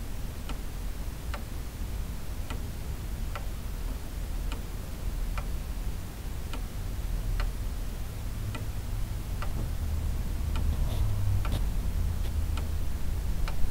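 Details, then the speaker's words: Weight-driven pendulum clock with hammers bent out of alignment during handling: steady tick roughly once a second, movement runs but no chime or strike; clock running but not striking. "this is the second clock that i've brought home [Music] that refuses to strike looks like they got a grudge"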